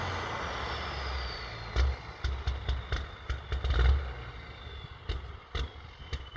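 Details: Big rig diesel pulled over smoking badly, idling about 10 minutes with occasional revs: low, lumpy idle with uneven chuffs and throttle blips; later drove off slowly with no power; cause not confirmed.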